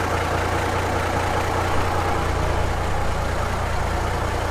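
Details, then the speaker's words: 1970 Kaiser M-813 5-ton military truck, first start in over ten years on new batteries, no throttle: low, steady rumble with even beat, no misses or knocks; started right up. Normal idle. "Did you see that? That son of a bee started right up, right now."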